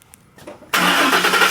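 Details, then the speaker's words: 2012 Ford Raptor 6.2 V8, about 247,000 miles, after new oxygen sensor and cleared codes: short crank, engine catches at once and settles into a strong even run; normal clean start. "lock yes I guess after you clear the codes you have to start it for the first time or something and then there you go"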